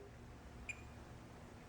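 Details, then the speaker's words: Yamaha EMX 5000-12 powered mixer with an intermittent output fault: the DMM in diode-test mode gives a single short high beep as the positive lead on the base meets the negative on collector, then emitter, of an in-circuit NPN transistor. Junctions read normal. "And you'll probably hear a little beep. Okay, you hear that as I touch a collector with the negative lead? And then the emitter."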